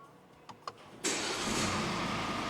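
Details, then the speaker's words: Mercedes GLE W167, 245 hp, 174,000 km, after engine removal and exhaust manifold gasket repair for blow-by, fresh oil and fuel additive: faint clicks, immediate start, even steady run with no whistle or squeak; normal start and idle. "Now I 'll start the car and show you how it runs because the engine literally purrs, no squeaks, no whistles."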